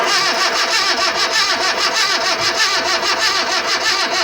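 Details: Mitsubishi Lancer with crank-no-start: fast, even starter cranking that never fires; no spark even after a new ignition coil, and a new IM module was then fitted. A spare battery was fetched afterwards and the engine then ran.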